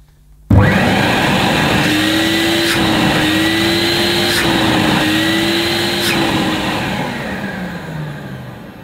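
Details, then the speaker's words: Hoover S4386 Aquatronic 1100 3-in-1 vacuum from around 1987, with its inlet blocked to test the bag check indicator: motor spins up to a strained, steady hum and winds down smoothly, running normally against the blocked hose. "in fact we'll see if that works by blocking the end of the cleaner see if that activates the bag check indicator"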